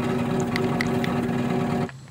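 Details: 2004 Goodman/Janitrol PCK036-1A straight-cool packaged HVAC unit, side panel removed: steady humming drone with light ticking, then sharp cutoff; blower running noisily, source not pinned down; noisy blower motor.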